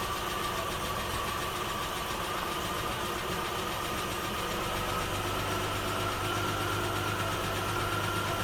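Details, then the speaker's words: 1984 Toyota Cressida 5M-E engine, warm, after a head job, idling steadily with a light quick tick at cam speed. It sounds like one exhaust valve tappet clearance is a little too loose, so it needs readjusting. "well apart from one noisy tap it it seems to be all right so oh that's not too bad it sounds like I got one of the exhaust tap it's a little too loose"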